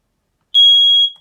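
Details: 2017 KZ Spree 261 RKC RV smoke detector, powered by its own 9-volt battery rather than the 12 V system, tested: a single sharp, high-pitched half-second beep in a silent room; the alarm works.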